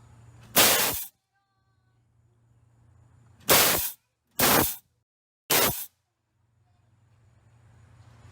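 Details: Nitrous test on a Silverado with the intake elbow removed after the lines were tightened: four sharp hissing bursts under half a second each start and stop cleanly between quiet idle gaps. The solenoid opens and sprays properly.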